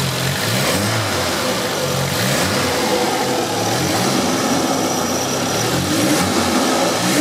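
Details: Toyota AE86 after a new turbo manifold gasket fixed a leaking exhaust gasket: engine revs up and settles back cleanly with no puffing or ticking at the manifold; the seal sounds tight, normal revving.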